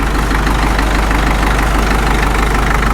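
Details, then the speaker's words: Caterpillar D2 #5J1113 diesel idling during a return-port injector test: steady idle with a firm, fairly even knock about three per second; number 4 injector full of fuel and spilling down its outside, internal leakage, others fine. "It's all the way down the outside of the injector. It's absolutely full of fuel."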